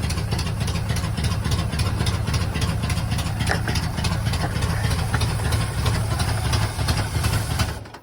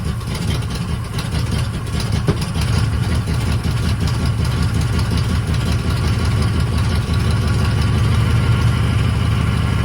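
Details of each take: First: 1980 Chevy K30 small-block 350 after new relocated starter solenoid, choke unhooked: cold V8 chugs at low, uneven loping idle held by hand-worked manual choke, then dies. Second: 1980 Chevy K30 squarebody small-block 350 V8 after a new starter solenoid, choke worked by hand, engine still cold with water in the radiator: deep, even rumble with a steady low beat and no misses or knocks. Normal cold idle.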